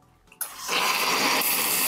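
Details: Saeco Xelsis SM7680/00 after replacing two of four solenoid valves, which had made milk splash everywhere. A steady, even steam hiss with a light gurgle and no sputtering or spitting: normal milk frothing.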